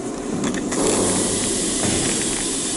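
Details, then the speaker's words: Freight train (apparently hauling frac sand) air brakes releasing after it backed up: a steady loud rushing hiss of air venting with no knocks, and no slack-run-in banging before it starts rolling; normal release. "I can hear the brakes releasing. I don't know if you can hear the air going out."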